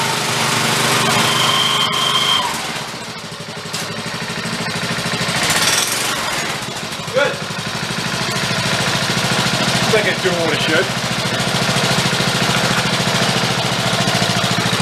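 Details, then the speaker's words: DR Power Wagon small single-cylinder engine after adding an extra clutch spring: even beat, clutch takes up drive smoothly without slipping or chatter; working normally. "let's go fire it up and check to see how that clutch works for us now with the extra spring on there"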